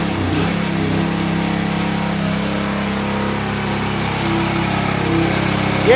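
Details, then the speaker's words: Jari sickle bar mower small engine, with the drive disengaged, holds a steady, busy high-pitched drone about 500 rpm above normal without dipping; governed engine speed set too high. "it is running a little high. That's 500 RPM more. It'll be all right. Those motors are tough."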